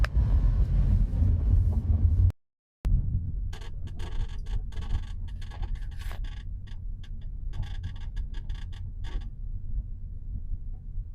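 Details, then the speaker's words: BMW F46 Gran Tourer 218i from Japan on the road: short, sharp squeaks in irregular bursts over low road rumble, clearly heard over bumps, coming from the rear seat; anti-squeak tape ordered as the fix. "Вот такая вот штука получается. Скрип очень отчётливо слышен на кочках."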